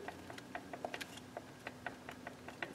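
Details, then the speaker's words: Lotus Elise stock gear shift mechanism under hoses, before replacement with upgraded shift kit; irregular light clicks, several per second, as lever is worked up and down, free play in moving parts; shifter linkage free play clicking. "I'm pulling up and down on the shift mechanism and you can hear there's play in the moving parts in the mechanism"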